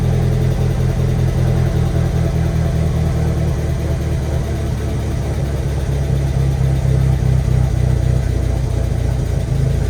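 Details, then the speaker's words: Freshly built 1.8T engine on first start idles unevenly with an irregular, lumpy low pulse, almost misfiring, while oil smoke burns off the exhaust; rough running from incorrect ignition timing. "This sounds a little weird, almost like it's like misfiring a little bit, but I'm gonna check the oil again and reset and see where we're at."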